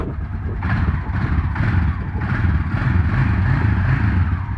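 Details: 2003 Honda single-cylinder after choke-cable and carburetor repair (carb was full of mud, choke seized), test run on choke: catches and runs with a steady low thump and mild rev swells, pulling cleanly without stalling.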